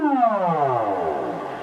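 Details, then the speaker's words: Celestion Ditton 25 T1600 woofer, stored 28 years, played a falling audio sweep while the spider is pushed slightly off centre by hand: raspy grating buzz as the voice coil rubs the magnet gap. "Now if I move this the spider very slightly towards me eventually it will start grating like there. You can hear it grating there."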